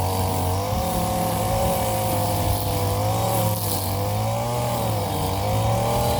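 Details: Warm Stihl FS 56 RC trimmer, after 20:1 mis-mix and cleaning of muffler screen and spark plug: steady buzz with slight waver as throttle settles, even clean firing; runs healthy.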